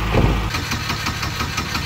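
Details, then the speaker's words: Turbo Chevy Cavalier that was running earlier, possibly nearly out of fuel; starter turns over in quick even pulses about five a second but engine never catches; crank no-start, cause unknown. "doesn't want to start wait no"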